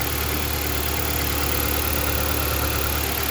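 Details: 2013 Jeep Compass that blew fuse 23 from a shorted coil feed, now starting once the faulty capacitor plug was disconnected; even, steady idle with smooth low rumble, no misses or stumbles.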